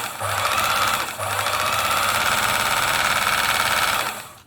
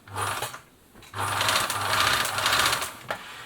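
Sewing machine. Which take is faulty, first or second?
second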